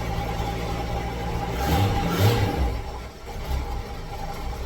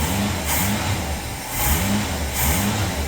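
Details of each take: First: 1966 V8 ("Rita") with carburetor, running rough on start-up after spitting, sputtering and dying: uneven lumpy idle that stumbles, sputters and misses irregularly, smoking while stumbling; air-fuel mixture wrong, misfire from a carburetor fault. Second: 1966 car, previously spitting, sputtering and dying from a carburetor float needle stuck open; after freeing the needle it fires after a couple of spits and runs steadily, healthy, no fuel leaks.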